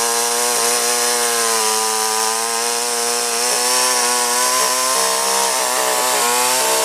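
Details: Chainsaw after installing a new carburetor and fuel line: crisp two-stroke buzz holding a steady high pitch with brief dips and recoveries, no stumbling or misfire; runs healthy.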